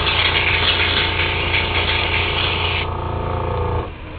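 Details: Temptu airbrush makeup system spraying foundation: steady, smooth hiss of air and paint over the compressor's low hum, stopping cleanly when the trigger releases; spraying evenly and normally.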